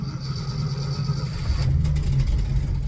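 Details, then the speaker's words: 1965 Ford F250, 352 FE V8, 4-speed, freshly started: low uneven rumble with a light tick-tick-tick from an exhaust leak; it also pops and dies when the gas is tapped. "can hear that exhaust leak. Tick, tick, tick, tick. So this is kind of one of the problems that I'm facing."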